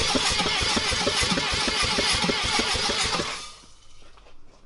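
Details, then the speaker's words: Mazda RX-7 Turbo 2 rotary cranks for the first time in six years after a shop-repaired starter and reconnected clutch switch: brisk, even cranking at about three pulses a second for three seconds. Normal cranking, no grinding. "and now the motor cranks can you get in today jack's car cranks for the first time in six years"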